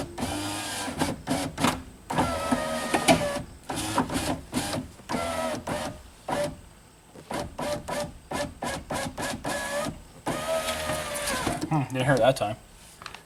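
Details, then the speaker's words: 2003 Pontiac Sunfire, driver's window after a regulator replacement. Short even whirring runs as the glass cycles up and down, with no grinding or straining; the motor sounds healthy, and the door panel flexes when the glass seals. "like a nice healthy motor though look at the center of that door panel flexing when it seals"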